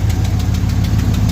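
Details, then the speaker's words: 1975 Ford F350 body on 2004 Cadillac Escalade 6.0 V8 AWD chassis, just started after sitting years on old gas with boost: deep steady idle with light puff-tick each pulse; owner suspects small exhaust leak, runs really smooth. "After got an exhaust leak over here, it sounds like. So that's fine."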